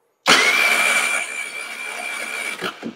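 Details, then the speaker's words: Chinese scooter with GY6 engine, crank no-start, plug removed and grounded to the block while cranking: the starter whirs steadily at constant pitch with no firing. There is no spark at all. "now I don't know if you guys can see that but I don't see any spark whatsoever"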